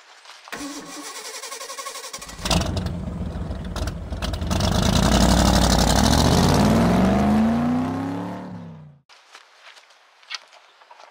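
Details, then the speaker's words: 2001 Chevy S10 4.3L that sometimes won't start: cranks hard, stumbles with uneven pops, never catches, sounding out of time; cause is a moisture-shorted distributor cap crossfiring, not jumped timing. "and there you go you can hear that it sounds like it's almost out of time a lot of people think well maybe a jump time uh maybe the distributor uh jump time"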